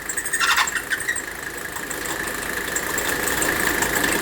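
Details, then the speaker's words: W126 Mercedes 300SD at idle: a high, steady AC compressor belt squeal that fades when water is poured on the pulley, then returns, proving the belt not the compressor is at fault. A loose aftermarket ribbed belt, later fixed with a tightened genuine Mercedes belt. "we just proved the problem we just proved that the problem is with the belt so then we have to figure out why that is"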